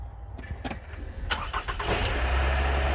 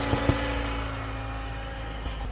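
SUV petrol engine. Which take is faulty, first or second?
second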